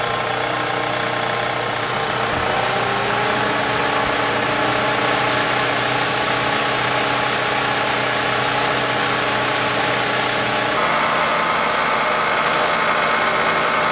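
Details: 2003 Toyota Camry engine, 200k miles, one shredded belt replaced but not the tensioner: steady idle with a busy, regular ticking knock about four a second, loud at different idles; owner suspects lifters and camshaft, later found along with the timing idler, and the engine was replaced.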